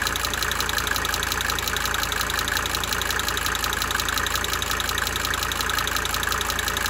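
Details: 1992 Mercedes-Benz 300D 2.5 turbo diesel idling for several minutes, brief talking at start; sharp, light ticking about three per second swelling and fading in cycles over the steady idle: cyclic injector ticking.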